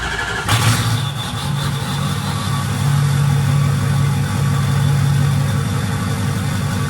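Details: Ford 6.0 Powerstroke diesel truck idling after fresh KC Stage 2 10-blade VGT turbo install. Vanes close with high-pitched whistle, then open to a deeper tone; normal turbo vane relearn whistle at idle.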